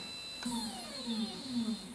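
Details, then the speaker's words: Skywatcher NEQ6 Pro mount after the belt mod and worm adjustment, slewing at maximum rate 9: quiet, clean motor whine with no grinding on either axis, including the RA axis that was worst before. "all the grinding noise is gone and choose to be moving smoothly let's try the re-access yep this was the worst axis before"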